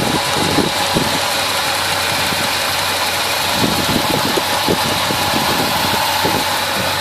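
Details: 1971 Chevelle 350 V8 after fixing a misfire (wet number-one plug, carburetor parts swapped, readjusted): steady, even idle rumble with no stumble or skipped beats, under plenty of airy hiss.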